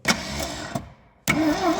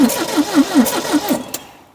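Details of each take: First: 1972 Triumph Dolomite 1850 barn find, unused 34 years, starter energised via trigger wire because the wiring is faulty: two short bursts of steady, even cranking with no binding; the engine turns over freely, before fuel lines and ignition are sorted. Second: 1972 Triumph Dolomite 1850 barn find, unused 34 years, choke seized: starter churns steadily and the engine coughs once or twice without catching. Owner concludes it is a fuelling issue. Cranks but will not start.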